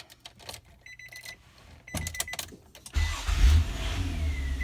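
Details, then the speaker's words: 2002 Nissan Maxima after starter replacement: a few clicks, a brief crank, then it fires into a steady, even low idle; clean, healthy start. "Okay, starts up, sounds good."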